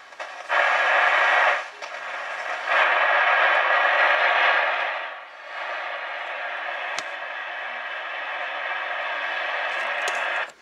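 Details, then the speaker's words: Realistic TRC-451 CB radio after full capacitor replacement: loud steady hiss with scratchy crackle that swells and fades, present even with gain fully off, like a leaky old tube; receiver noise persists, a faulty transistor suspected. "audio what sounds like an old leaky old tube gear have a bad audio tube get all noise and Scratchy and stuff well that's what dis is sound like it's the best I can describe it"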